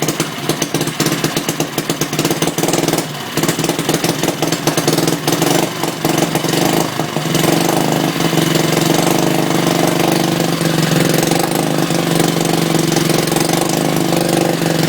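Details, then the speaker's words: Antique 1959-ish Briggs & Stratton 2HP after a complete rebuild, cold, wrong plug, no filter or pipe. Busy single-cylinder chatter stumbles and surges at first, then steadies; not running that bad but still needs carb tuning. "it's not running that bad but it still needs uh some carb tuning and stuff"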